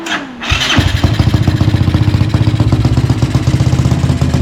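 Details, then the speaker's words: Tao Tao 250 YFZ-style quad with new engine, tuned, aftermarket exhaust: quick crank, catches and settles into steady even low idle with slightly choppy exhaust beat; starts and idles properly. "That's how it should sound. So we got it all tuned out."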